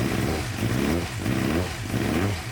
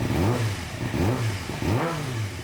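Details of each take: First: Suzuki GSX-R 600, believed to be a 2007, that sat outside for months, warming up with airbox off: repeated throttle blips that sag before recovering, still dying when throttled though better than before; owner suspects clogged injectors. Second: 2006–2007 Suzuki GSX-R 600, likely a 2007, left outside for months with a cutting-out, loss-of-power problem. Warmed to 130 degrees, F1 light gone, cutting out fixed by a servo. Three quick throttle blips rise and fall cleanly without cutting out. Clean revving, with a slight remaining bug.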